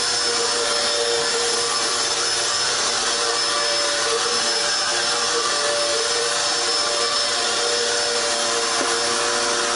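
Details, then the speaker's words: Dirt Devil Extreme Quick Vac (Style 15 belt) after belt replacement, which fixed running without suction: steady, even motor whine with constant pitch and no slapping or squeal; brush roll spinning normally. "Alright, now it sounds pretty good. Just want to pick it up and see."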